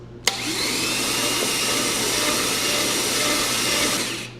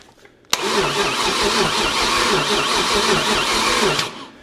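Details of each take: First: 1969 Chevy 327 V8, cranked with the plugs out to test a newly bought starter: fast, even starter whir spins the engine freely for about four seconds with no grinding or clunks; the starter is healthy. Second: 1969 Chevy 327 V8 with new ignition points fitted and the coil live: steady rhythmic cranking for about 3.5 seconds that never fires, then stops. There is still no spark, and a bad coil is suspected.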